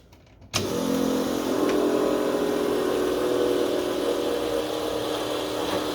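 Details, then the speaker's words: Newly built 6.2L L86 Gen V LT V8, Holley Terminator X EFI, E85 flex fuel, BTR 225 cam, first successful start with coolant, open headers dumping to floor, no O2 sensor: catches at once into steady, even rumble, no knocks or misses; healthy. "it's just a good feeling to hear this engine run it actually isn't terribly loud even though the headers just dumped straight to the floor"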